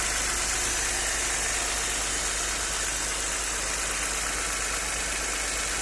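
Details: Audi 100 C4 2.6 at idle: fast, uneven tapping under the hiss, about three or four per second; owner asks what is knocking, cause unknown.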